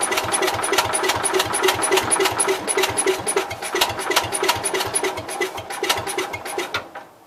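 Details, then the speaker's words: Cub Cadet 122 with inconsistent spark from questionable points, cranking after priming: steady starter chugging about 3.5 per second for nearly seven seconds, never catching; cranks but won't start. "So it's trying."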